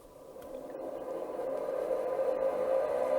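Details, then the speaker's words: DEC Rainbow power-on with newly fitted RD51 Winchester hard drive: steady tone climbing in pitch and loudness under soft fan hiss as the drive spins up; normal start-up, self-test begins. "I can hear the drive spinning up. I got testing up here. That's good news."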